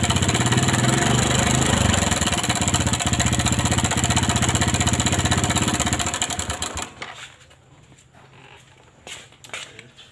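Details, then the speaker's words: Motorcycle engine idling before repair with rapid hard metallic tek-tek ticking, then shut off; slack cam timing chain, to be fixed at the automatic chain tensioner without replacing the chain. "kali ini kita akan mengakali rantai klep yang kendor tanpa diganti ya"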